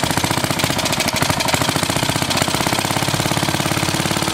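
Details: 1936 Briggs & Stratton WM washing-machine engine, first start before electronic ignition upgrade: fast single-cylinder popping with uneven gaps and skipped beats; running but missing, owner suspects the points.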